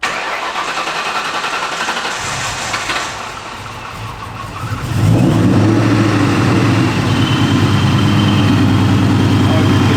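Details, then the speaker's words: 2003 Ford Mustang Mach 1 V8 on its first start after a Vortech supercharger install, Diablo Sport tune and new Magnaflow exhaust. Quiet cranking catches near five seconds into a strong, even idle with a faint supercharger whine, audible from the driver's seat. Healthy start. "It sounds sick though, dude. Oh my God. You can hear it whining from in the driver's seat."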